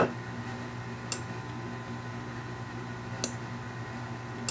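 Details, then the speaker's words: Escape-room mag lock controller using reed or micro switches, with both magnets lined up. Three sharp, isolated relay clicks a second or two apart over a quiet room hum: the relay switching on and off normally. "but you can actually hear the relay click now that it's lined up"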